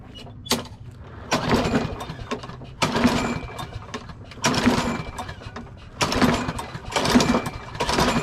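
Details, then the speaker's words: Craftsman push mower with Briggs & Stratton 650 series engine that refuses to start: repeated hard cord pulls, turns over but never fires; no-start from carburetor fuel fault, fixed by replacing the carburetor. "so it is summertime spring and everyone has a problem you gotta cut your grass wait what if your lawnmower doesn't start so it'll look something like this"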